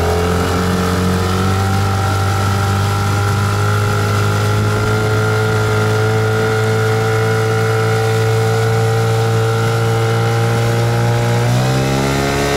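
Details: Yamaha 8 or 15 two-stroke outboard on 92 or 95 petrol, top-speed test: steady, even high drone holding at full throttle, pitch climbing smoothly near the end; healthy running.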